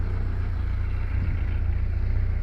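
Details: 2005 Kawasaki KZ1000 Police, motor 458, after cold start: low, even thrum at steady idle with no ticking, clatter or misses; running sweetly and healthy.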